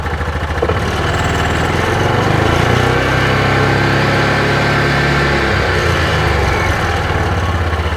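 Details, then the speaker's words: 2021 Axis (Hisun) 500 4x4 UTV, about 225 miles, grinding on deceleration with clutch issues suspected: revved in neutral with no load, engine revs up, holds and eases back with an even drone, no grinding or scraping; normal unloaded rev. "so I don't hear it neutral so if there's not a load on it apparently it doesn't do it"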